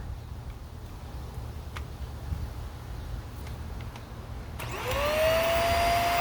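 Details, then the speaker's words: Hoover Air Steerable vacuum that wouldn't turn on, clogged filters and bad bearing found, reassembled: motor spins up to a steady high whine with even airflow rush; sounds better but still not great, vacuum running. "Well, I think it sounds better, but I don't think it sounds that great. I can tell you that."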